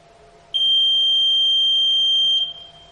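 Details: Electronic voting machine control unit after a three-vote mock poll: a single steady high-pitched beep lasting about two seconds when the Close button is pressed, confirming polling is closed.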